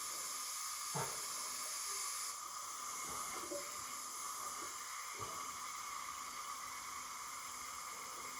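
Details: Old front-engine dragster motor that sat about 30 years, leak-down test with engine not running: steady airy hiss of compressed air escaping past the cylinder, owner suspects something (likely a valve) sticking; high cylinder leakage.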